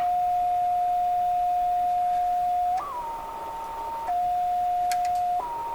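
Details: Westinghouse 535 tube radio with spurious oscillation: a pure, steady whistle that jumps between two pitches when the set is touched. Suspected to come from missing shielding on the glass 6Q7 tube, which normally has a metal shield; not confirmed.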